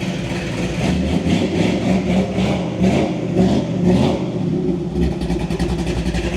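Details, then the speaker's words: Rare 1977 Chevy K5 Blazer Chalet with camper, carbureted engine: cranks right up, revs cleanly in steady swells and returns to an even idle with no knocks or misses; healthy engine. "Crank that sucker up, it does sound good. Cranks right up. Cranks right up."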